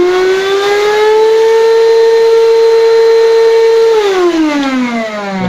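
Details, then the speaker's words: Rowenta 1700W vacuum cleaner, owner complains it hums loudly and won't pull dust; at maximum power the motor howls with a loud piercing whine, then winds down when switched off. "А если максимальный, то шум очень сильный."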